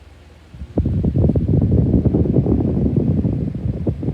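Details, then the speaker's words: 2019 Schallen 12-inch desk fan on medium: spins up into an uneven, fluttering, scratching rattle that never settles into a smooth hum, from bad bearings. "the scratching noises are really bad worse than knight actually"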